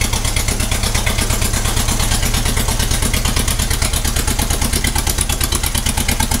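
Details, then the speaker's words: 1956 Ferguson TO-20 four-cylinder TVO tractor, first run in 8 years: lumpy idle with regular missing pulse, running on three cylinders, number one suspected. "she is only running on three cylinders it's a four cylinder tractor and you can hear that that's it missing on one cylinder"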